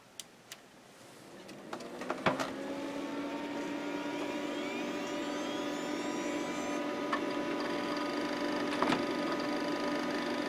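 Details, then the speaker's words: Micron Home MPC Windows 95 PC with a 3.1 GB IDE hard drive, booting for the first time since the factory: a soft whir climbing in pitch as the platters spin up, a few clicks, no grinding; normal spin-up. "Can hear that hard drive making it making it sounds."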